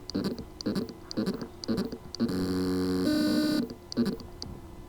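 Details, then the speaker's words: Seagate Mobile 2.5-inch ST1000LM035 hard drive buzzes in short pulses about twice a second, never settling into a smooth spin: spindle motor cannot reach full speed due to loose motor contacts; fix is resoldering contacts or replacing the PCB. "symptom the motor can mean but cannot reach its full speed cause lose motor contacts solution reese order replace the loose contacts or replace the PCB here is the sound from the lose motor contacts problem hard drive"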